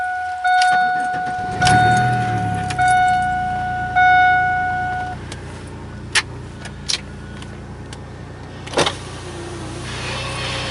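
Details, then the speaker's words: Chevy work van with an intermittent hard-start problem, checked before a six-hour round trip. Chimes, then it catches and settles to an even, steady idle with no knocks or misses; it runs well with decent oil pressure. "Sounds good. Alright, let's get out on the road. Boy, this thing is running really good."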